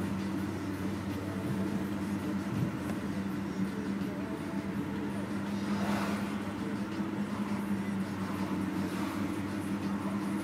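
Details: BMW E46 at a quiet idle: steady mid-pitched whine holding constant pitch; possible alternator failure, unconfirmed.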